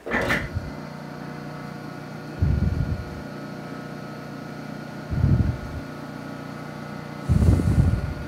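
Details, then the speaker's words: Clausing 5913 lathe drive motor run on the bench with all belts removed to isolate a headstock vibration: smooth, even hum, no knock or rising vibration, a few handling thumps; vibration minimized, motor judged not the cause; normal motor run. "well and the answer is see there's a home but the vibration has sure been minimized so on that basis I don't think the motor is the issue"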